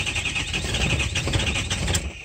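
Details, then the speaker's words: 2005 truck with high pressure oil pump, cold start, no-start: quick even cranking with high whirr and no firing; high pressure oil okay, three contribution balance codes, fuel or bad injectors suspected; coolant leaking. "it's not high pressure oil that's freakin fuel that's bad injectors right there"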